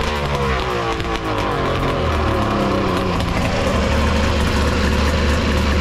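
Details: Three-cylinder two-stroke 1200 R engine in a mini jet boat with triple pipes, header re-welded and midpoint pipe brace added: loud even scream, steady rasp, no misses; all three cylinders firing, sounds good.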